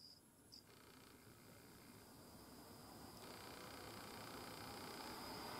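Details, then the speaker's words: GMA465 multicharger, new, 40 mm 5 V DC cooling fan after about 20 hours of Ni-Cd charge cycles: thin steady high whine over an airy whir that grows louder; fan shaft suspected, noise reproduced by shaking the running fan. "Shake the fan while rotating it to make a sound After all, the cause is the shaft part of the fan."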